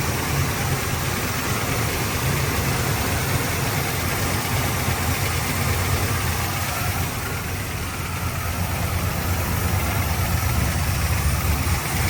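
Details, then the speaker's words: Warm idle on a 1972 Chevrolet Nova V8 with a Holley carburetor after leaning the idle mixture and adding ignition timing: an even, steady low rumble with no stumbles or misses. It runs smoothly and is "definitely happier", with idle speed and mixture still to be fine-tuned. "Heat. Heat. Definitely happier."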